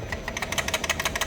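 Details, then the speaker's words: Mazda 3 rear axle shaken on a vibration stand, rear stabilizer link also found worn: quick regular metallic rattle, six or seven hits a second; rear brake calipers loose and rattling. "Ещё суппорта болтаются."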